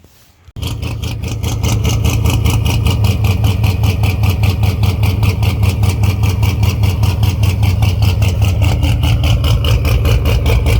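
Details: Fox-body with SLP exhaust, cold start right after a junkyard 3G alternator swap; cranks and catches at once, settling to a steady, deep, even V8 burble at a slightly high cold idle; runs healthy.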